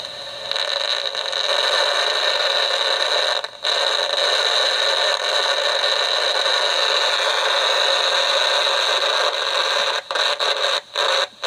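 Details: DIY AM superhet receiver, just finished, antenna on temporary clip leads: steady loud hiss with thin high whistle and brief dropouts; owner unsure it's hooked up right; it does pick up a signal generator at several band spots.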